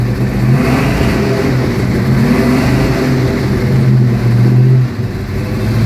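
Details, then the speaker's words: 1972 Mustang Mach 1, rebuilt 351 Cleveland Cobra Jet (2-inch+ valves, Lunati roller rockers, TRW forged domed pistons, 10.5:1, Holley 650, Edelbrock intake, Flowmaster duals), heard from the driver's seat, not yet warm: deep, even burble, short blip to about 2,000 rpm, clean settle; healthy. "Now this is a 351 Cleveland Cobra Jet with over 2-inch valves, Lunati roller rockers, TRW forged dome pistons, 10.5:1 compression ratio, dual exhaust with Flowmasters, a Holley 650 carburetor, Edelbrock aluminum intake, and this is what it sounds like to sit in the driver's seat."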